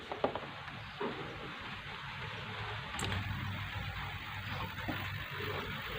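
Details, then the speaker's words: Polytron Slim CRT TV starting up after the flyback/power board was replaced; the earlier crackling noise into the speaker is gone, and only a faint high line whine is heard with no buzz from the flyback or speaker; the TV is fixed. "TV sudah start dan tanpa ada suara apapun dari FBT dari polbag. Suara halus tanpa ada suara apapun dari speaker ini."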